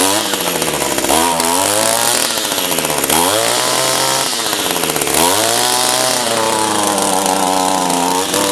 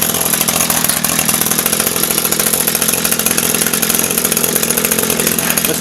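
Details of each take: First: Echo SRM-225 two-stroke trimmer, about 1,000 commercial hours, with an aftermarket replacement carburetor, restarted hot on a hot day: high buzz that sags and climbs back every two seconds, never steady; owner thinks it runs lean when hot, hot-start issue unresolved. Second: Echo SRM-225 two-stroke string trimmer, about 1,000 commercial hours, just fitted with an aftermarket replacement carburetor for hot-start problems: high, buzzy idle holding steady without choke or throttle, no stumbling or surging; idling properly.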